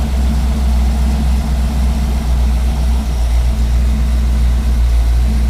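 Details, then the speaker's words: 1959 Ford F100 with a 302 (5.0L) V8, 650 cfm carburetor and C4 transmission, just started while the idle is adjusted and grease burns off the headers: a steady, even low V8 idle with a regular pulse and no whistle, a normal idle. "dudes man that sounds too good yeah yeah that sounds nice so we're idling in"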